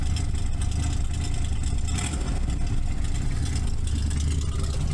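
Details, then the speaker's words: 1981 Camaro Z28 V8 at about 200 miles, just after a valve adjustment and a quick fix to the No. 5 plug wire burned by the headers: lumpy, uneven idle with a cylinder dropping out; misfire persists, owner suspects spark plugs. "Alright guys, moment of truth. I just did a little quick fix. Let's just see if it worked. Kinda. I think we still got a miss."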